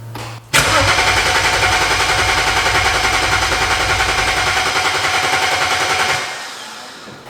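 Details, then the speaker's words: Flood-damaged BMW 135i after 8 years in a junkyard, six seconds of fast even cranking, about three and a half beats a second, never firing; crank no start, suspected no fuel from pump or injectors not commanded. "maybe it's telling it not to fire the injectors so maybe it's like not getting any fuel at all"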